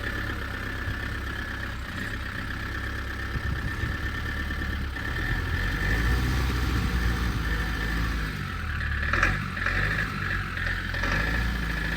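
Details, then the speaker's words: Old Renault 4x4 timber lorry diesel: chugs unevenly at a low, labouring idle with no rise in speed even with fuel pump flat out; barely idles, will not rev, fuel supply fault suspected. "Why is she not revving? That was with the fuel pump flat out, and she's only just idling."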